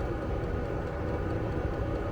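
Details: Vevor diesel air heater in a Fiat Ducato van, app showing room 20°C, level 10, combustion chamber 277°C, 100 m altitude: steady even low rumble, no surging, popping or misfire; normal running.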